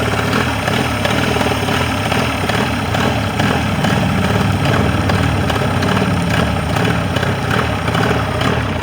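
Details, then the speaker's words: Mercury 40 two-stroke outboard that came in with a no-start and would not idle; balance check had found the bottom cylinder not firing. After repair it idles evenly and steadily on both cylinders with no stumbles, and shows no crankcase leak. "Run on both cylinders. And no crankcase leak."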